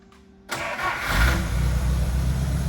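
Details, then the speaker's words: 1950 Pontiac Silver Streak, sitting almost 40 years, rear jacked up: short crank, then it catches cleanly and settles into a steady, even low idle with no misses or knocks; normal start and idle. "Man, I think it runs good."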